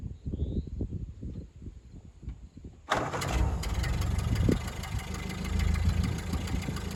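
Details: 1929 Ford Model A coupe at startup: starter grinds a few seconds, then it catches to a loping idle with a sharp puffing tick on every beat; known exhaust leak, to be repaired.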